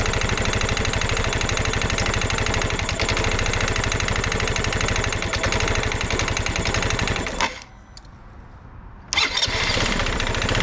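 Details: Genuine Blur220i scooter engine running with loud, rapid hollow knocking from piston slap; compression 90 PSI cold, 110 PSI warm, 115 PSI with oil in cylinder, so new piston and rings needed.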